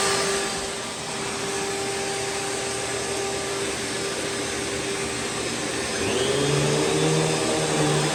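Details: Curbside Rainbow E Series vacuum with a bad internal gasket, reassembled, running with water in the basin: a steady, even roar with a constant high whine and faint water swish, no rattles or grinding; running normally.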